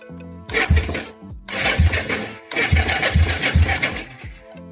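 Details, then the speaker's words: Yamaha SR250 SE single during restoration, no ignition coil or fuel fitted; starter turns it at about two exhaust puffs per second with strong, even pulses; engine not seized, good compression while cranking. "donc on entend bien que le démarreur fait tourner le moteur génère de la compression"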